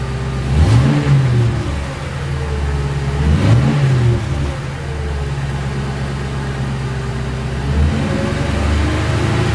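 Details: 2006 Crown Victoria P-71 V8, stationary, mufflers modified by drilling internal passages: a deep, throaty rumble with two sharp rev blips falling back to a steady idle. Slightly louder than stock, healthy exhaust.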